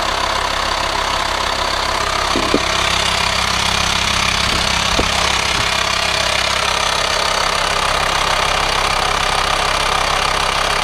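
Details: VW Transporter T5 LWB T32 2.5 diesel 6-speed camper van, 1500 miles in three weeks of ownership, idling: a constant airy hiss over the diesel clatter in the engine bay, suspected vacuum leak; no auxiliary belt-driven pulleys, source unconfirmed.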